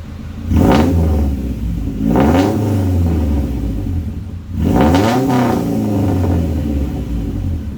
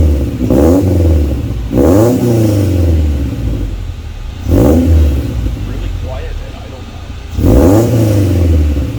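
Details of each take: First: And this is what it sounds like if it was open header. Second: Honda wagon with newly installed Vibrant Performance aftermarket muffler on existing exhaust, revving: repeated blips rise and fall cleanly with a raspy, even exhaust note, quieter than previous muffler, no banging or clunks; normal exhaust note.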